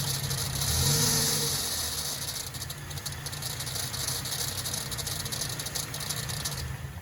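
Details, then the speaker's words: Toyota Vigo/Fortuner 2TR engine: metallic rattling at the front of the engine rises with revs and lingers on throttle release; hydraulic belt tensioner worn with age, due for replacement. "it's starting to make noise. When we accelerate up and then we release the accelerator. It will make noise, like metal."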